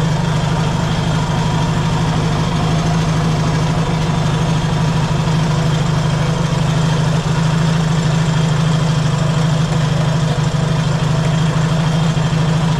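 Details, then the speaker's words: Yamaha XS650 twin, reassembled and refitted after checking whether cam timing was one tooth out: deep, steady low rumble, even throughout with no knocks or misses; normal idle. "okay I got the engine back in the bike and got the fuel tank on it this time and it's working good but uh yeah so we'll start it up and hear how she sounds running much"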